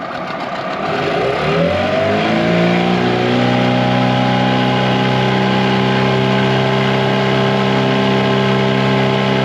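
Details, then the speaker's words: 2004 Tohatsu 9.8 two-stroke long-shaft outboard after rebuild, top-end run on the lake: climbs smoothly to a steady high buzz at full throttle, no misses or knocks; runs normally but is noticeably slower than the rebuilt 2011 four-stroke 9.8. "I will say, guys, the 2-stroke version compared to the 4-stroke is a lot slower. I just noticed that right away, that the 2-stroke's a lot slower compared to the 4-stroke."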